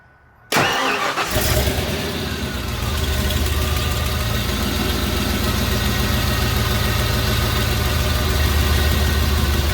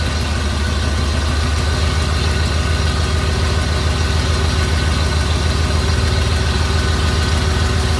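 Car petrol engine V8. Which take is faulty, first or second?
first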